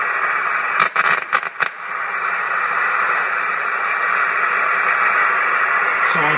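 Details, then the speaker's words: Hammarlund HQ-170-A receiver with the calibrator and noise blanker off: loud hiss with sharp crackling pops as the antenna connection is made and broken to create pulse noise. Impulse noise with noise blanker off. "I have the blanker off right now. Pretty easy to see how noisy that can be."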